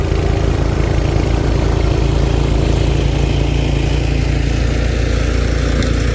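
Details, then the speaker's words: Cub Cadet 2X 26 after a carburetor rebuild for a no-start problem. The primer now pulls suction, and on run it fires off into a strong, steady, even low thump with no misses or surging: fixed, normal running. "sounds like we got some suction now so we'll go to run and we'll see if we can get it to fire off there we go all fixed"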